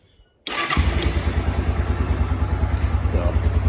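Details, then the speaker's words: Kawasaki Bayou 250 ATV single-cylinder engine after carburetor replacement, still on old poor fuel, started cold without choke: fires right up and settles into a steady, even idle thump; normal start and idle. "fire's right up sounds good idle's awesome um choke it we'll get her warmed up here so doesn't sound too bad"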